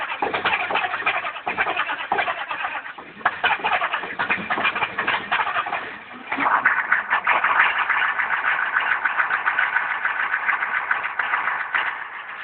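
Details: Chevy 6.5L turbo diesel, cold start around 32–35°F with new glow plugs: about six seconds of long, labored cranking before it rough-catches and runs. Hard cold start; the new glow plugs did not help and Bosch replacements are planned.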